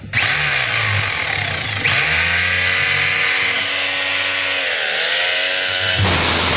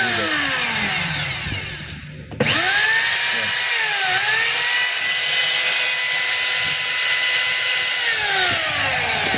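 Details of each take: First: DeWalt D25033 rotary hammer in chipping mode: motor whines and chips steadily, then cuts out and restarts when the cord is moved or pulled down; cord broken at its base, plug and brush holder to be replaced. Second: DeWalt D25033 rotary hammer, which has a damaged cord/plug, held so it runs: motor spins up to a steady high whine holding even pitch without grinding or stutter; motor runs healthy.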